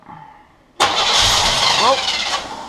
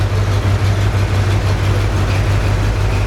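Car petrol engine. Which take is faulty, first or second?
first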